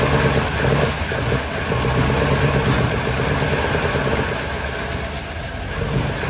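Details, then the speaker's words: Small block V8 in 1972 Chevy C10 just rescued, freshly started, weak starter and fuel delivery in question: chugs at lumpy idle, uneven pulses, wandering speed; runs but not happy; rough running, cause unconfirmed. "well she ran she ran she wasn't too happy at all but she ran"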